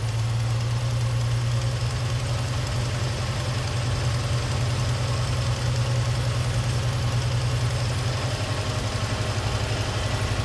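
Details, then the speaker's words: 1978 Chevy C10 straight-six, automatic, single-barrel carb: after turning the tiny bottom screw the owner believes is the idle adjustment, the six still holds a steady, fast, even raised idle without dipping; idle speed too high. "Alright, y'all, I think she's still idled up kind of high. I believe that is the idle adjustment screw."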